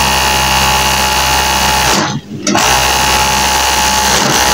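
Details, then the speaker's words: High-speed overlock sewing machine running with a loud, harsh rattling bang; the knife holder is loose from an internal connecting-link problem and the upper looper bar is worn, both to be replaced. "এই যে দেখতে পারতেছেন আমাদের নাইফোল্ডার লড়তেছে so guys এটা ভিতর থেকে connecting problem"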